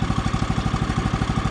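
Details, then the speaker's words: Brand-new Woodland Mills HM130 Max sawmill's 14 hp Kohler engine at first start, idling just after the choke came off: quick, even pulses, quiet, with no metallic ting from premature centrifugal clutch engagement, so the idle is set well. "i listen for that ting sound that ting sound is the premature engagement of the centrifugal clutch uh i don't hear it here so the idle must be set pretty good"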